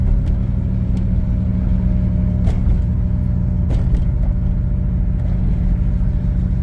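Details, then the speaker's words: 1989 Pontiac Grand Prix Turbo McLaren driven after spark plug change: heavy low rumble on light throttle, uneven and hesitant, won't shift, runs rough; suspected misfire under load, cause unknown. "yeah it won't shift or anything running pretty rough turn go turn around this neighborhood here if it'll let me yeah it sounds like we're missing or I don't know what's going on it don't sound good"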